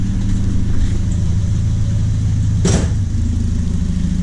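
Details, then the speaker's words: Warm 1978 Triumph Spitfire, Weber 38DGAS carb running rich, just fitted size 45 idle jets, idle screws 1 and 1.5 turns out: idles about 900–1,000 rpm with an uneven, slightly lumpy beat and a click; still a little shaky, rough idle. "Yeah, and so idle is more like 900 RPM, and the engine is still a little shaky."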